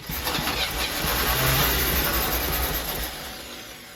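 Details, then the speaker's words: 1972 Winnebago Brave 350 Chevy after massive failure, fuel pump filling carb: catches and runs unevenly then settles steadier; rough running after start, owner suspects oil pressure building. "uh starting to sound a little bit better maybe we're building some oil pressure"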